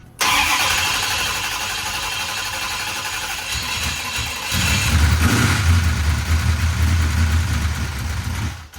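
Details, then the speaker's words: Used big block 440 in a 1968 Dodge Charger, start after rocker arms and pushrods replaced: cranks, catches, idles with persistent quick ticking, the same noise as before; lifters suspected, the only parts not yet changed. "Still got the noise. It still has the exact same noise, which is weird."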